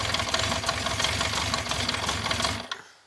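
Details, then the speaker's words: 1974 Honda CB350 Four, started on choke with fuel turned on: rough, uneven lumpy beat with missing pulses, seemingly running on only two cylinders, then cuts out on its own; old fuel in the carbs suspected. "Does sound like a bit rough on there. Turn the fuel off. Sounds like it's only running on 2 cylinders."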